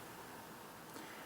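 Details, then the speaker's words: Laptop on for about an hour installing drivers, mic close to the vent: soft, even airy rush, steady, not high-pitched, no whine, rattle or surging, not struggling; normal laptop fan. "now that's about normal not only in terms of the volume but the quality of the noise it's not high pitched it doesn't sound like it's struggling"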